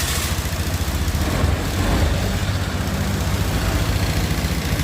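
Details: Honda Scoopy i scooter after replacing its failed fuel pump motor: a steady, even putter at idle with no stumbles or dropouts, so the engine idles normally after the repair.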